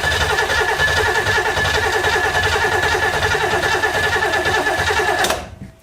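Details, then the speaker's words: 1970s big block Oldsmobile-powered Sleekcraft jet boat, sat a couple years: uneven stumbling engine beat with ragged firing that cuts out and dies; water apparently in the fuel line causing rough running and stalling. "It looked like there was water in the fuel line, which I probably should have foreseen seeing as"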